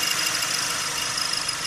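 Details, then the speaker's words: 2008 Chrysler PT Cruiser engine at idle, front of engine: high-pitched rattling pop that levels out at highway speeds; engine mount blamed earlier, owner suspects timing area; fixed with timing kit. "I mean it'll make this noise kind of a high-pitched rattling pop noise until you kind of get going highway speeds and then it seems kind of level out and put back in the noise so"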